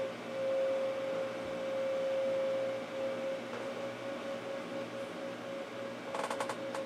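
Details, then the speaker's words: Power Mac G5 Quad at first boot, side cover off: steady mid-pitched whine rises out of the fan hiss and holds a couple of seconds as the optical drive spins up a CD inside; drive working normally. "it sounds like there's a CD in the drive there because it's spun up it's at least I know that's working"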